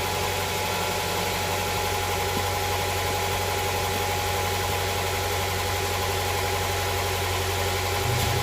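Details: Honda Prelude SH after oil cooler/adapter gasket replacement, oil filter refitted, started to check for leaks: even, steady idle with faint constant hum, no knocks or misses; no leak seen after about ten minutes.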